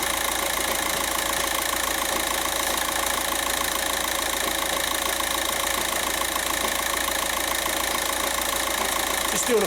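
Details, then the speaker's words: 2006 VW Jetta TDI, 1.9 BRM diesel, heard from underneath at idle: constant fast metallic rattle over normal diesel clatter; dual mass flywheel rattle, separate from the car's low-boost P0299 complaint. "that's dual mass flywheel rattle"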